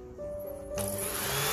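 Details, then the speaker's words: Cornell Joven water heater after replacing the flow-sensor magnetic bar that activates the reed switch: tilting the unit makes the small pump motor kick in with a steady hum and rushing whir. Repaired, running normally. "by tilting the water heater the new magnetic bar will go into this part and activate the read switch if it is working you would able to hear the motor sound of the pump"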